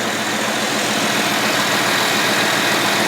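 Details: 1980 Lincoln Continental V8 idling right after starting, following replacement of the ignition coil and starter solenoid for a no-start: an even, steady idle with a constant note and no stumbling or surging; it runs normally.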